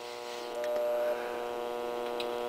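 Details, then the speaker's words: Blonder Tongue Agile modulator feeding a small TV via a temporary dipole: steady low mains hum with even overtones in the audio; suspected failing electrolytic capacitors in the modulator, re-cap planned, not confirmed. "sorry that sounds like electrolytics so I'm thinking that every electrolytic that's in that modulator is going to have to be replaced"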